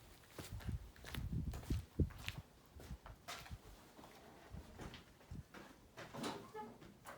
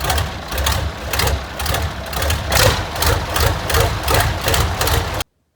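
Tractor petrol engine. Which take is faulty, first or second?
second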